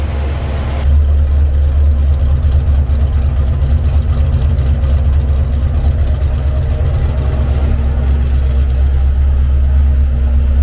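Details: Freshly built Mopar 383 V8 for a '68 Dodge D200 on the dyno, timing at 34 degrees, before a rev to 5,000 RPM: deep, steady rumble at constant fast idle, even firing, no knocks or misses; sounds healthy.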